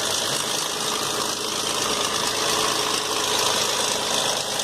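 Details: Dodge Journey at idle: a busy, bright metallic clatter from the front, fairly constant, not a clean knock. Owner suspects timing chain slack; engine to be dismantled to check; cause unconfirmed.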